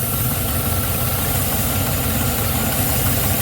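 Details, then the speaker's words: GM 6.0 V8 idling with an even airy hiss from a vacuum leak at a leaking PCV elbow on the valve cover, found while checking after knock sensor repair; codes had been cleared. "I do hear what sounds like a vacuum leak, but I could be wrong. The only thing it's got is the... Oh, the PCV is leaking, you hear it?"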